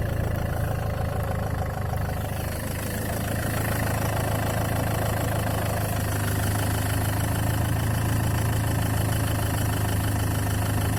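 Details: Land Rover Freelander 2 at steady idle: a loose, uneven tapping of about three or four per second rides on top, a knock from inside the engine whose cause is unclear.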